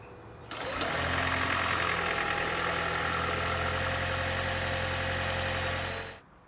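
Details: 2012 Prius on its first morning cold start after intake manifold and EGR cleaning to fix a P0301 cylinder 1 misfire and cold-start knocking; it catches cleanly and idles smoothly with no knock and no check engine light. Normal idle.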